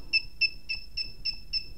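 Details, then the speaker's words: KWS-AC301-100A power meter with the over-current alarm set to 0.5 A while drawing about 1 A: quick, shrill double-pitched beeps, three or four per second. The over-current alarm has tripped. "các bạn có thể thấy là khi mà nó quá cái dòng cài đặt đấy thì lập tức nó Tít và nó sẽ nhay nhay chữa"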